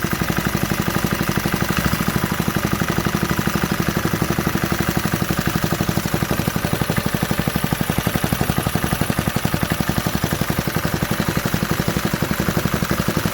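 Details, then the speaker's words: 1968 Briggs & Stratton 2.25 hp single-cylinder engine, first run after sitting for decades: even, quick pulses, about four a second, holding a steady idle on its own; healthy-sounding idle. "She's idling on her own. Yeah, this thing is a sweetheart."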